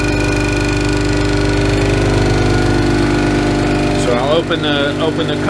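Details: New Ingersoll Rand 5 hp single-stage twin-cylinder 60-gallon air compressor for a CNC plasma air system, filling from about 50 psi tank pressure: steady even piston chug over smooth motor hum, no knocks or air leaks; running normally.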